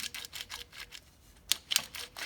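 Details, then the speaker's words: Porsche 996 dual-mass flywheel behind a Sachs clutch, turned slowly by hand, after a long-standing drivetrain noise complaint: sharp, uneven metallic clicks and ticks; sounds worn internally and looks beaten up. "what that noise is that does not sound good"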